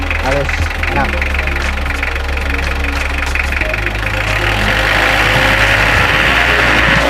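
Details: Mitsubishi L300 engine after replacing a broken timing belt: low steady idle with an even beat and no ticking, slapping or rattle from the front; runs smooth and healthy.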